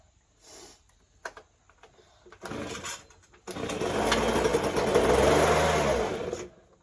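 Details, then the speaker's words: Ryobi two-stroke leaf blower, fitted with a new spark plug gapped at 0.025, sputters, then runs rough and wavering and struggles to rise before dying back: it is bogging, and a carburetor adjustment is planned. "come on almost so it's bogging so I'm going to try adjusting the carburetor a little bit"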